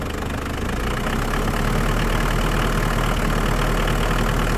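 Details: Mitsubishi Pajero turbodiesel after valve cover gasket, oil change and new alternator (charging 14.2 V vs 12 before); steady idle with even light clatter and smooth rhythm, no misses or extra knocks: normal idle.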